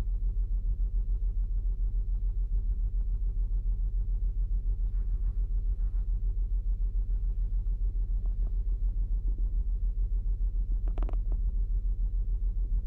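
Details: 2008 Saturn Outlook at cold idle, cylinder 1 misfire seen with the Torque app and a BAFX Bluetooth tool, only on cold starts; lumpy, repeating low thump a bit over twice a second.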